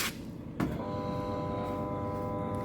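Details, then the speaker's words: Samsung washing machine: the motor hums with fine tonal lines but the drum does not rotate, while water comes in. The cause was damaged motor wiring, which was repaired; the capacitor had been replaced earlier by someone else. "ine not rotating actually the com water is coming hum noise motor got struck otherwise drum got stuck"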